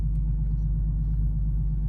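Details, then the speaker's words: Infiniti G37 after DIY oil change with 5W-30 full synthetic, warmed up, AC on: deep, steady idle rumble with even beat, no roughness or tapping; owner says it ran a little rough before the oil change. "the car was running a little bit rough before so now with this oil change definitely you can hear the difference in the eye doing all that"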